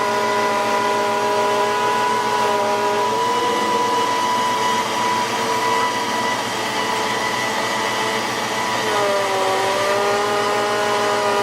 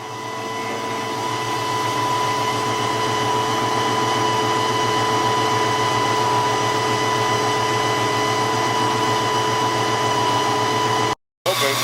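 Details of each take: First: 1993 Ford Mustang GT foxbody with a Coyote swap, bleeding the hydroboost after a fluid change: steady high whine over the idle that shifts pitch as the steering is turned, from aerated fluid; the brake pedal still sinks. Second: 1993 Ford Mustang GT with a Coyote swap and hydroboost brakes, after a fluid change and bleeding the hydroboost. Steady, even hum with a soft regular pulse and no whine; steering is smooth and the power steering pump is healthy.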